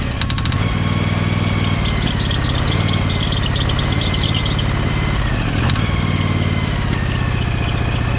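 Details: Briggs & Stratton Vanguard 23HP V-twin: steady, even thrum holding a constant beat with no misses or knocks. Engine runs smooth and nicely now.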